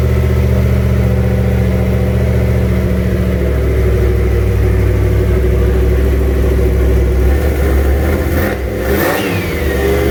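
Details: Freshly started junkyard 351W turbo V8 in a 1967 Mustang, new headers, wastegate plumbed into fender-exit exhaust; blips and settles with an uneven hunting idle and lumpy revs; runs but definitely needs a tune.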